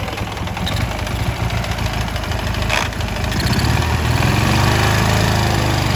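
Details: Ural motorcycle twin at idle: loud, uneven knock about three or four per second over the engine beat; someone wonders if generator brushes at low revs; cause unclear; engine knock at idle.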